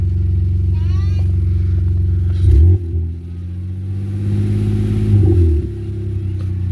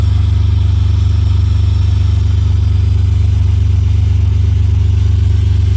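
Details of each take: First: BMW E46 325xi after alternator replacement: engine idles smoothly and picks up cleanly on two quick revs with no knock returning; charging holds about 14.0–14.1 V, runs healthy. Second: BMW E46 325xi that was knocking: steady fast knocking about 160 a minute over a deep, even engine hum, traced not to the engine or power steering but to the alternator's worn pulley.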